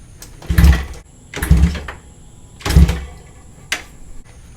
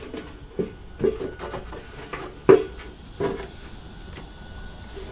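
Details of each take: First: 1973 Honda 350F four-cylinder with an old battery: three short cranking bursts and a brief fourth spin evenly without binding, so the engine turns over freely and isn't seized. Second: Fuel tank removed from a 1973 Honda 350F: irregular scraping rattles and gritty rustles as the empty tank is tipped, loose rust flakes sliding around inside.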